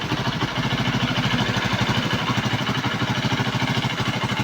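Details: Kawasaki Boxer single-cylinder after repair of CDI (converted to Lifan 110 4-pin AC type) and flywheel, previously misfiring and dying, now thumps along in a fairly even, quick beat with no misfires or dropouts; runs properly again.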